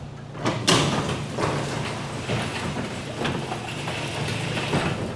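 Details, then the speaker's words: Garage door number two lifted manually with the opener released after hinge and spring maintenance: even rolling rumble, a couple of soft thumps, no hinge squeaks or creaks; normal quiet operation. "so if we're not hearing anything pretty good all right let's run it back down we'll go from the other side nothing perfect no no creaking whatsoever"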